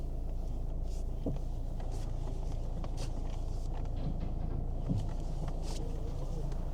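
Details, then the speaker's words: Kia Ceed, believed 2010, engine idling after replacing the worn steering column bush/cogwheel that caused a lumpy sound when turning: steady even idle, no clicks, knocks or grinding; steering now smooth. "Nice and smooth. Isn't that incredible that little cogwheel can cause that noise and not your steering wheel?"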